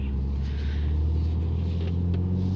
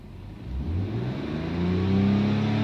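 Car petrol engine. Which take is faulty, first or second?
second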